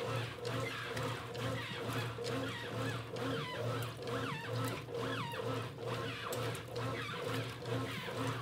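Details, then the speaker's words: 1993 Brastemp rotary washing machine with rebuilt mechanism: rhythmic chirping squeal about once a second with each agitator stroke over a low motor hum; new shaft seal squeak, normal, will fade with time. "Olha esse barulho do retentor, tá escutando, gente? É normal, com o tempo ela vai parar."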